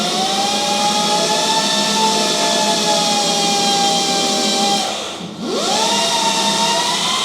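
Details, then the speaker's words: QS 4 kW mid-drive motor on a bike with a Symbyote 12FET controller and a 72 V 33.6 Ah pack, in sport mode (up to 200 A) or MANIAC mode: steady high whine that dips briefly and climbs back smoothly. Normal motor whine at full power. "Another mode is the sport mode. You will hear two beeps, and now the power will go quite up, like up to 200 amps. And the top mode is the MANIAC mode, the third mode."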